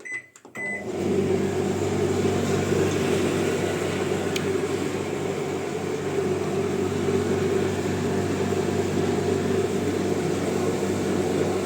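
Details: Clothes dryer after disassembly and repair of a jammed drum that only hummed without rotating: steady, even hum and constant drum whir with no rubbing, scraping or knocking; now running normally.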